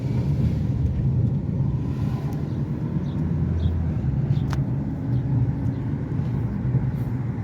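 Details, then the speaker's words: 2014 Chevy Equinox (P0011/P0014) driving after the repair; before, it stumbled and shook at stops and in gear. Steady even engine hum under road rumble with no stumble or misses, smooth as butter. "And right now this engine is like smooth as butter. I could already tell a difference."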